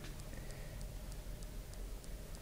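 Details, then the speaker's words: iPod Touch camera recording indoors with Wi-Fi on: faint, even clicks about three times a second over a quiet room hiss. Attributed to Wi-Fi interfering with the camera; a replacement unit has the same problem. "if you listen and turn your speakers up you can hear that there is a clicking in the background and that's caused by the wi-fi interfering with the camera"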